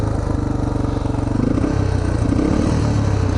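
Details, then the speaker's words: Yamaha TTR230 on a trail that won't start and only bump starts: single-cylinder thumping at a low, uneven idle with a clattery edge, never settling or picking up cleanly; misfiring and running rough, cause unknown. "for some reason it won't start it will bump start i can get it to bump start but i can't ugh something's not right that doesn't sound good"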